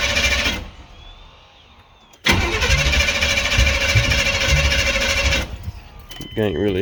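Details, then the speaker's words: 1993 GMC C1500 SBC 350 with new camshaft, cranking on old gas with fuel poured in and a dry-looking fuel pump: steady cranking with uneven low thumps and exhaust pops, no catch. Ignition timing is suspected to be well out. "all it's doing is kind of popping out the exhaust"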